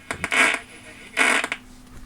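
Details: 1976 Lloyds Monteverdi stereo, possibly moisture-exposed with rust on the tuning condenser: sharp crackles and hiss while tuning AM only, FM fine, recorded during a lightning storm; the tuning capacitor is suspected, unconfirmed.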